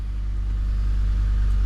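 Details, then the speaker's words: 2014 Ford F-150 5.0 Coyote V8 after replacing a torn coil pack that caused cylinder 3 misfires: deep, even idle rumble with no stumbles, scan tool shows zero misfires; normal idle. "I mean, you can already tell a difference by the way it's running."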